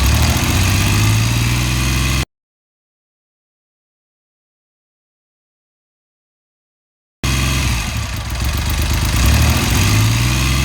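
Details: BSA Rocket Three A75V triple started after top-end service, strobe timing check on right-hand cylinder: fires and runs at a fast, even idle with steady low beat and no knocks; sounds healthy.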